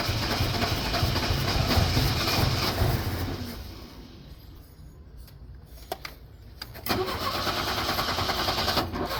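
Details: 1983 Chevrolet Chevette needing mechanical work, cold start with pedal pumping and revving: the engine catches and revs unevenly with a sputtering, lumpy beat, sags to near stalling, then fires again. Rough misfire and stalling.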